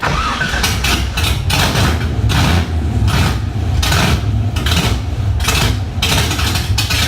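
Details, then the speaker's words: LS1 V8 swapped into a 240SX, first start with open headers, fuel low: repeated throttle blips that sag each time it's let off; won't hold idle, stalls when throttle released; owner suspects low fuel. "take two she didn't idle before I'm hoping that it was low and get I mean it was very long gas hoping that was the problem"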